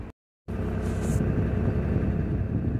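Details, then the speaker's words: Tata BS6 phase 2 Cummins diesel, full throttle around 2500–2600 RPM, rail pressure up to 1300, no fault codes; deep steady roar, no stumbles or knocks; normal revving. "तो आप देख सकते हैं कि इस समय car यहां ठीक से दौड़ रही है।"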